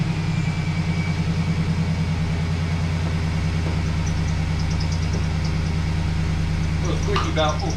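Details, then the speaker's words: 2011 GMC Sierra 1500 idling after engine swap; steady, even low idle with smooth regular pulse and no knocks or misses, a faint squeaky belt chirp on top (belt needs replacing); otherwise normal, quiet idle. "Sil that's quiet what do you think looks nice sounds all right huh nice and quiet let this thing run for a minute"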